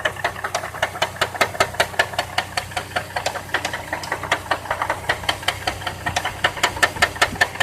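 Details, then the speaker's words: 2002 Chevrolet Trailblazer idling: sharp regular knock about 2.5 per second from front of engine, worse after oil change, dipstick showing little oil; owner suspects rod or something loose, cause unconfirmed. "Oh, you hear the ticking. It's knocking from the front of the engine."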